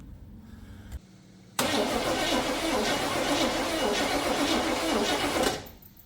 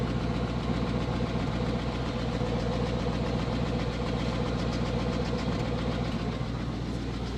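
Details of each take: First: 1980 Chevrolet Scottsdale pickup parked 26 years since 1997, cranking on a freshly charged battery before fuel poured in carburetor: starter churns steadily about four seconds with even chugging beat, no firing. Finding: cranks, no start. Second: 1980 Chevrolet Scottsdale 350 V8 pickup parked 26 years, recorded from the rear at the mufflers: steady even low rumble, smooth regular pulse, no knocks or misses; charging, good oil pressure. Finding: normal idle.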